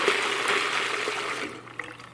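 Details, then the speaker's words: Arduino-controlled latching solenoid valve on a 12 V supply, pulsed for about 20 ms to open and close: rushing hiss of water tapering off within seconds, no chatter or buzz; normal water flow through the open valve. "Here it's turning on for about 20 milliseconds, then opening the valve, close the valve, opens, closes, here's the water."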